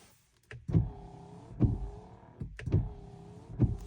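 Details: BMW E84 X1 wiper motor: the wiper runs in sweeps about a second apart, each with a lumpy, gurgling drone, worst when cold; the grease in the mechanism had dried out, and cleaning and regreasing made it quiet.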